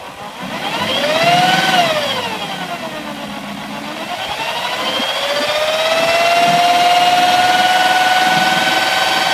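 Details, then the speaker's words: BMW M62TU V8 running with all belts off: clear whistling whine rising and falling with revs, coming from inside the engine on the left bank (bank 2, driver's side); not the fan, cause unknown. "So, baby's running. That's the sound. No idea what it is. Not the fan, that's for sure."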